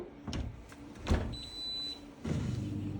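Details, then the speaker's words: Dishwasher started after closing the door: a door thud, then a steady low hum and rushing water as the pump starts and water comes through, a normal wash cycle start. "You can hear the sound, you can hear the water coming through, and that means now it's starting."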